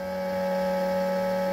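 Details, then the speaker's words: Bambu Lab X1 Carbon 3D printer, about one month old: motherboard fan with a bad bearing makes a deafeningly loud, steady, sharp whining tone with a faint rough undertone; smacking it calmed it. "the motherboard fan on my printer has a bad bearing and after sitting out here and giving it the old Fonzie trick by smacking the crap out of it it is finally calmed down and I can film this video but we'll roll a little bit of footage so you guys can hear what it actually sounds like it's deafeningly loud"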